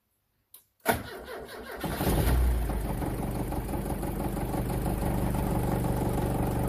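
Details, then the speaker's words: Turbo Pinto engine in a Mk3 Ford Cortina, cold start, cold-start fuel raised from about 40% to 260% to start: long crank before catching, then rough lumpy idle, loud exhaust banging; hard cold starting. "See that, well, if you can hear it because it's pretty loud, that there was at I think 40%, and to get it to start that time I got all the way up to 260%."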